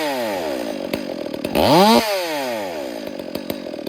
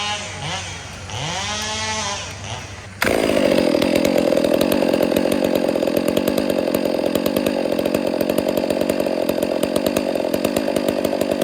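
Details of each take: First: Chainsaw idling during ear-method carburetor tuning, low-speed screw leaned out: idle sags, blips up sharply, then wanders slowly back down; high, wandering idle from a lean low-speed mixture. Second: Chainsaw carburetor tuned by ear at full throttle: faint, uneven four-stroke burble breaking into the scream, the target for high-speed screw tuning; a later tach check shows the high screw needs to go slightly richer.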